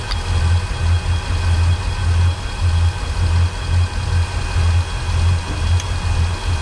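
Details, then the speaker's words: Volvo Penta 8.1 GI (496) marine V8 idling with an uneven lumpy skip about every half second under the exhaust rumble, fuel regulator checked good; ear on the riser to find the misfiring side; cylinder misfire. "Now what I'm doing here is having my ear up to the riser and listening for all the hits on the engine. So I do this with both sides to figure out which side the misfire's on."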